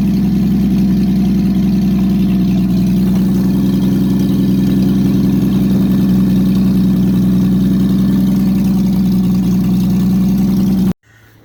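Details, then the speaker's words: Engine just fitted with an aftermarket monojet carburetor, unrun for about 3 weeks, exhaust removed: loud, raw, steady unmuffled idle with heavy low rumble. "Hey, sorry about that. I forgot to mention I had the exhaust off, so let's start it again."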